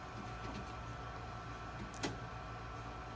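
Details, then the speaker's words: Epson F2100 DTG printer running a medium head cleaning on the white channels after a nozzle check printed no white: steady low motor hum with clicking, about a five-minute cleaning cycle. "you kind of hear it clicking and going through it says it's about a five minute clean time on that"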